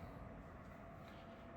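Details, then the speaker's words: Pluggit AP310 house ventilation unit measuring about 70 dB: constant rushing drone with a gritty edge from the fan motors; worn bearing (608-2Z/C3) being replaced. "and yeah noise is coming from the motors."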